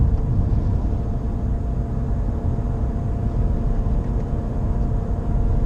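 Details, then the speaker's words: Nissan Qashqai J11 at 84,000 km, no A/C or heater on: coasting in neutral at 850–900 rpm from sixth gear, about 90 km/h. A steady low drone follows road speed, not the engine; owner suspects a wheel bearing, unconfirmed. "Το βουητό αυτό ακούγεται ανεξάρτητα. Είναι όσο αυξάνεται η ταχύτητα, τόσο αυξάνεται και το βουητό."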